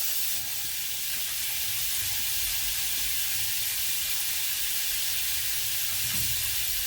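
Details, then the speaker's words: Copper half-inch 90-degree elbow leaking at 110 PSI water pressure with a non-functioning pressure reducing valve: steady hard hiss, loud like a river, water spraying from the fitting. "That is super loud, dude. That sounds like a river."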